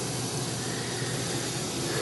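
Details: Goodman 2-ton A/C with a newly installed compressor, suspected overcharged then low on Freon, weak cooling, compressor running about an hour: constant even hiss at the indoor coil, like refrigerant rushing through; cause suspected, not confirmed.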